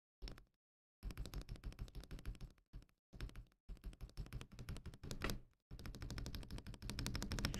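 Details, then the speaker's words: Akko ACR Pro 68 keyboard backspace key while tuning stabilizers: rapid keystroke bursts with hollow low clack and slight rattle on the long key; stabilizers need more lube. "So they could use some more lube. I can definitely hear that. Like immediately, that's the big thing I hear."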